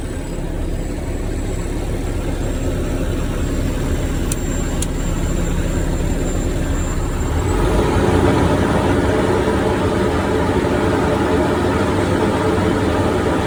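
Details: Diesel truck after replacing the exhaust gas pressure sensor (EGR valve position/sensor supply circuit codes) and resetting faults: steady, even run with no knocks or misses, and a faint high whistle fades partway through; running normally.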